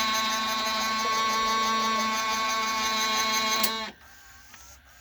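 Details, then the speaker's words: Emerson VCR765 VCR (Orion-made, about 1990): steady high-pitched whirring scrape during fast-forward that stops when the deck halts; owner suspects a stiff mechanism inside, not the tape. "before we do that let's investigate that scraping sound uh here's another hint"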